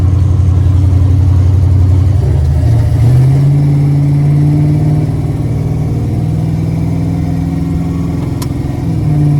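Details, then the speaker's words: 1978 El Camino, budget-built 357 small-block Chevy with TH400, cold at about 500 rpm: slow lumpy idle with a puffing tick riding the exhaust beat; exhaust leak at both header collectors where welded, not a gasket, to be welded. "both sides actually it's where the weld is it's I'm going to get somebody to weld that up but that's what the exhaust leak is it's not a [Music] gasket you can hear it down there"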